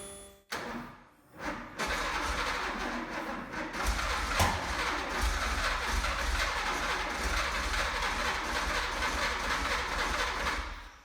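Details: 1970 Porsche 911T after rebuilding Zenith 40 TIN three-barrel carburetors, first run in over 10 years, fuel pressure 3.5: clicks, short crank, then catches and holds a steady even idle; normal start.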